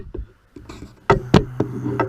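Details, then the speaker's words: 2013 Cadillac ATS cooling fan that would not turn on, tested by applying power directly to its blue wire: fan runs in rough, uneven bursts with a hum that cuts out and restarts as the circuit breaker trips; shorted fan motor. "the fan is shorting it out is shorting out right there I already know the fan is bad"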